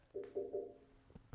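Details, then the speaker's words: Fabricated steel pedestal for a Dayton bench grinder, before the inside is filled with Great Stuff Wide Gap foam: three short tinny rings from light taps on thin sheet metal, each dying away quickly. It sounds hollow. "Not sure if you can hear that, but sounds a little bit hollow."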